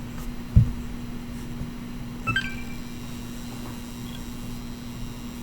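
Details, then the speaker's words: Xbox One X that makes a noise when plugged into power: a steady, low electrical hum under a couple of clicks. It is thought to come from the power supply, which shouldn't sound like that. "yeah I think that's what that noise is fairly certain the power supply is not supposed to sound like that"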